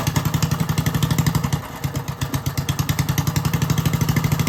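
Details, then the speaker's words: Old Briggs & Stratton engine, running after a coil swap from another old Briggs & Stratton engine, in cold snowy weather; needs some choke to keep running. Even, steady popping beat with no misses or knocks; normal running. "I started it up already. It starts. It just needs some choke movement to keep it running."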